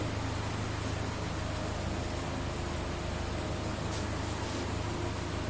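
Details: Saturn Ion engine idling after cylinder head replacement, with new head bolts, new spark plugs, cleaned MAF, MAP sensor and throttle body, and codes cleared. Steady, even low hum with no knocks, misses or surging; normal idle.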